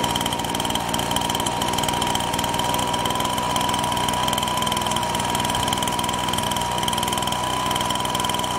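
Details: Husqvarna 125BT backpack blower two-stroke: high buzz holding a steady note with faint uneven spit underneath; spits and leaks; running rough.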